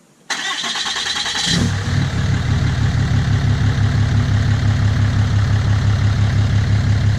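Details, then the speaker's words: 2017 Ram 2500 Cummins diesel, tuned, DPF/EGR delete, straight-pipe exhaust, started after an oil change; brief crank then steady, even deep idle with no knocks or misses, sounding happier, no leaks. "Okay, so it was a success. There is no oil spills or anything. No oil dripping. Truck sounds like Cummins. Sounds happier."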